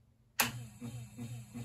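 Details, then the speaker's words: Treadmill DC motor on an SCR controller from a band saw, set at lowest RPM: switch click, then the hum surges and fades about every 0.4 seconds; pulsing at low speed that smooths out when speed is turned up. "See that pulsing? Really annoying. But we turn it up, smooths out, goes away."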